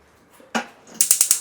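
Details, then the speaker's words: Gas stove auto-ignition fault caused by the ignition box. After replacing the box: a switch click, then crisp, even snaps about ten per second; every burner sparking steadily and normally. "മാറി കഴിഞ്ഞപ്പോഴത്തേക്കും എല്ലാത്തിലും okay. അപ്പോൾ നമ്മൾ ഈ അടുപ്പിൻ്റെ auto ഇഗ്നീഷൻ്റെ complaint ആയിരുന്നു. അതിൻ്റെ ignition box മാറ്റി എല്ലാം ക്ലിയർ ആക്കിയിട്ടുണ്ട്."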